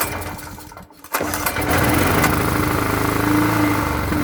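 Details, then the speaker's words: Free generator sat unused about a year, small single-cylinder engine restarted after cleaning a moist plate, air filter refitted, running unloaded: speed rises and falls unevenly, surging at idle; owner suspects carburetor still needs cleaning, runs good under load. "It's running. It works. It's surging a little bit. So that still means needs a clean on the carburetor."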